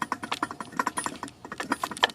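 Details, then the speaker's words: BMW E46 xi front wheel bearing turned by hand on the removed hub: irregular dry clicking and scratching; worn, gritty bearing that had triggered the ABS, brake and traction control lights. "It's not supposed to make those sounds. Yeah, so also just so you know, if you have a bad wheel bearing on your E46, it will trigger the ABS and the brake light along with the traction control light."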